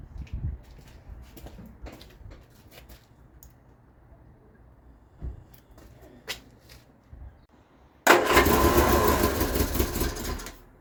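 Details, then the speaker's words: Vauxhall Viva HC barn find with a starting fault: the engine fires well but gets no fuel, so after fuel is poured down the carburettor neck it catches and runs roughly for about three seconds, then dies. The owner suspects the fuel filter, not confirmed. "I poured some fuel down her neck and she ran off that fuel this fuel in the filler"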